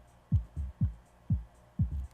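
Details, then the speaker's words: Dayton Audio DC130AS-8 replacement speaker (in a Polk RTI-28) at extremely low volume: soft, clean, even bass thumps with no rubbing at all test points; the voice coil binds only when the cone is pushed hard; normal operation. "Good. Good. Good. Good. We'll try all 8 places. No problems. No problems. No problems."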